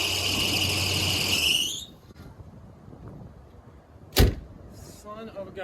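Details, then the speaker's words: Chevy G30 RV after alternator swap with two pulley spacers, alignment uncertain: sharp high squeal over the engine under two seconds at cranking, then cuts out; belt drive suspected, pulley was getting hot. Squeal at start-up. "going to go ahead and crank it over and see if we still get those squeaking noises and this pulley getting hot"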